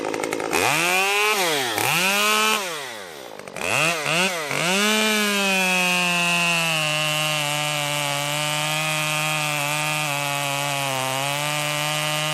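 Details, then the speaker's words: Stihl MS 194T top-handle chainsaw after muffler mod (inner baffle removed), freshly tuned, cutting red oak: rips at high pitch, then pitch drops and holds steady biting into wood without bogging; normal running under load. "I was just running the saw a little bit, getting it tuned. It seems to be running just fine."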